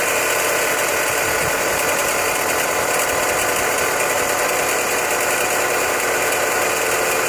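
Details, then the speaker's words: Chrysler 200 running, heard through a mechanic's stethoscope: harsh, constant grinding hiss up close at the belt drive, pointing to a bad pulley bearing. "now today what we're gonna do is we're gonna crank the car up and we're gonna diagnose a bad pulley that I have on this Chrysler 200"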